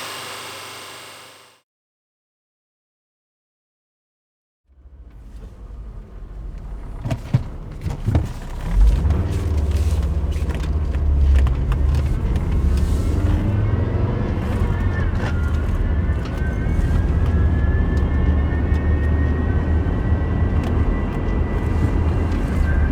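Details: Volvo S60 2.4 170 hp (2004) with a manual 5-speed: a thin whine climbs slowly in pitch above the road rumble while driving. There is no noise at idle or when revving the engine.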